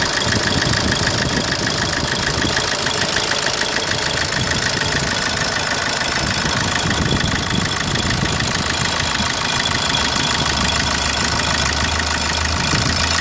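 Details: 2010 Opel Corsa D 1.3 CDTI diesel with blue smoke on cold morning starts but no loss of pulling power: idling with a steady clatter of sharp knocks on the engine note; engine knocking, cause not pinned down.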